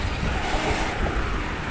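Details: Electric fan after repair of its oscillation mechanism, which had been clicking with an intermittent sticking swing. A steady low rushing hum with no clicks or catches as the head swings, so oscillation now runs smoothly.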